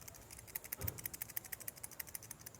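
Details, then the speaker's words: 2011 JAC J3 alternator-belt idler pulley bearing (6203), removed and spun by hand: dry, rattly clicking at about eight ticks a second from loose balls with no grease left, causing the belt noise. Worn idler pulley bearing. "vai fazendo com que a sua Correia Vá fazendo aquele barulho Porque aqui esse barulho é as esferas solta aqui já não tem mais lubrificação não tem mais nada"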